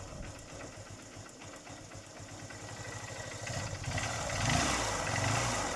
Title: engine noise problem solve after rebore and piston replace